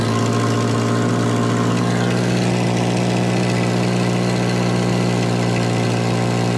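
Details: Volvo 240 warming up after a cold 20-degree start: steady fast idle hum that never settles lower; chronically high idle, with a badly blown top cam seal leaking oil; cause of the idle not confirmed.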